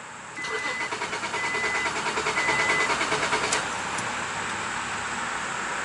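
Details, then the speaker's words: Acura 3.2 crank no-start, problem worsening over a month; injectors fire but ignition coil not firing at all: steady starter cranking about three turns a second, whirring motor, never catches, no spark. "so nothing wrong with the injectors here but coil is still not firing at all so I don't really know what to make of this"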